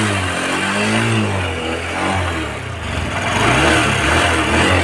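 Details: Honda SP 125 BS6 after fuel pump washed and filter cleaned for starting, stalling and misfire problems: engine picks up cleanly, rises and falls smoothly with throttle, no stumble or misfire; bike fixed.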